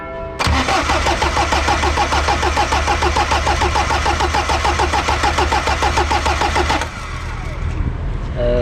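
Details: Polonez car that has sat since August, stopped starting: steady starter churning about three beats a second for six seconds without catching; fuel not being drawn or spraying, owner suspects fuel delivery.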